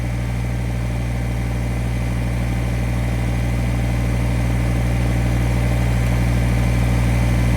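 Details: Kubota BX1850 diesel tractor, after new ignition switch and battery: steady, even chug about three beats a second, no misses or knocks; healthy idle, run to charge the battery.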